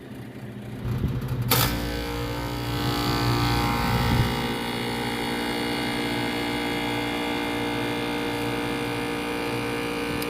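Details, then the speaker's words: Older Lennox rooftop unit that trips the breaker and won't cool, compressor bumped via contactor: thump at start, then loud rough droning hum with buzzy rattle, amp draw climbing; abnormally loud compressor noise. "doesn't sound real good at all and right now I'm just bumping the contactor"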